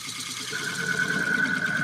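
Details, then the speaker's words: Turning an oak burl bowl on a lathe: halfway in, a thin, steady, high whistle rings over the cutting hiss as the tool reaches the thin side wall, meeting little resistance. Thin bowl wall cutting sound. "And it makes a different noise when it gets over to the side cuz we're in thinner wood there."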